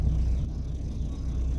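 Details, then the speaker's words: VW Golf Mk1 freshly rebuilt engine, first drive after two months parked, idling at 900 RPM: low, even rumble with no misses, knocks or ticking; smooth steady idle. "It's idling steady."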